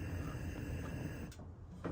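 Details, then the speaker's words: Wolf gas stove burner after cleaning the burner plate and igniter to fix constant clicking with no ignition. Spark clicks now sound stronger, and the burner lights instantly: ignition fixed. "So I'm gonna go ahead and push the igniter. And you can hear it is actually a lot stronger. So I'm gonna turn the gas on and see what happens. Wow, instant fire, nice."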